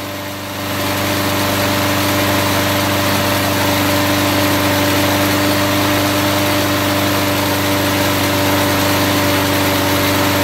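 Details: Warmed-up lawn mower engine with the oil drained and old car wax in the crankcase, run near regular mower speed for a 10-minute test: a steady, slightly rough beat, very hot exhaust; the wax hardened.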